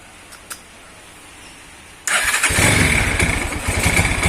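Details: Motorcycle engine (Tiger/GL/CB type) after valve clearance adjustment at TDC; quiet, then catches and settles into an even idle around 220 beats a minute with no valve ticking; normal start and idle.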